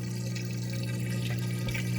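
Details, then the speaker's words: LG front-load washer after DIY drain pump replacement, running speed wash: steady low pump hum with water rushing and gurgling, even and unbroken; new drain pump draining normally. "all right that's the sound we were waiting for our pump is draining"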